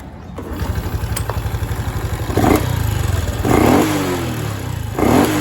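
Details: Honda Wave 110i after repair: fuel pump motor replaced (old filter and O-ring kept) because it made only about 1 bar instead of 3, causing start-but-no-acceleration. Now starts, idles with steady putter, revs cleanly in three blips.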